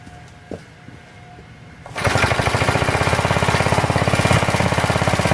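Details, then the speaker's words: Planet Jr. Model B walk-behind tractor, first start after drying out the gas tank of old gas, refitting the carburetor, adding crankcase oil, belt off: single cylinder catches and chugs slightly unevenly. No smoke; idle unsteady, needs carburetor adjustment. "well it wasn't bad for a first start not smoking or anything and just needs a little bit of carburetor adjustment and see if we can keep it at a good idle"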